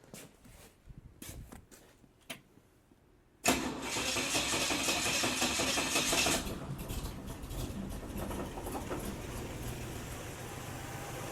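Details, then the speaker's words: 1971 Jeep CJ5 V6 with an aftermarket carburetor, after power-valve repair and resealing: a few clicks, then a quick catch and a steady, even idle with no misses or knocks; normal start and idle. "Okay. Okay. Sounds pretty good. Say we take her for a spin."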